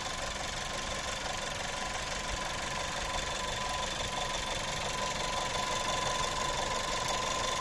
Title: турбина свистит. Октавия А7. TSI 1.4 150 л.с. Пробег 150 тыс.